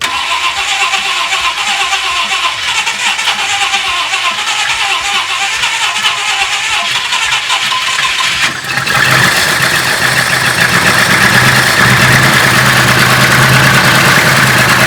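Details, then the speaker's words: 1966 Ford Country Sedan wagon, stock 390 FE big block after a performance cam install; cranks and catches, then runs loud with a lumpy, stumbling misfire after a brake booster vacuum leak was fixed; not running on all 8, owner suspects valves. "That doesn't sound right. That sounds just wrong. It's better than it was. But something is still not right. I don't, what am I doing wrong? Let me know in the comments. Don't know what I'm missing right now. Because right now it's definitely not running on all 8."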